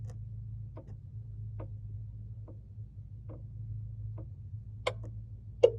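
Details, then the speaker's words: 2001 Toyota Tacoma: soft ticks about once a second over a low hum, then a sharper click behind the steering wheel, recurring about every 20 seconds, even with engine off. "oh the clicking noise happens every 20 seconds or so"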